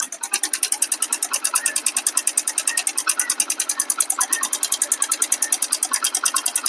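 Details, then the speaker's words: Hero Splendor Plus, microphone held close to engine: fast even metallic ticking over idle keeping time with the engine; exhaust valve tappet adjuster screw nut keeps loosening after clearance setting, giving excess clearance, inlet valve fine; low pickup, no smoke. "ஆனா noise மட்டும் பயங்கரமா இருக்கும். ஓட்டுறதுக்கே நம்மளுக்கு தோணாது."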